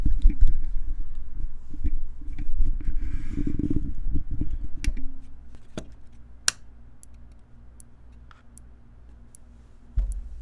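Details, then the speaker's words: Dead Tandy 1000 power supply, mic placed inside: faint hum with sharp single ticks about twice a second; possibly sparking as it charges or clicking from lack of load, cause unknown. "let's see let me see if i get the mic in there and you can hear the clicking"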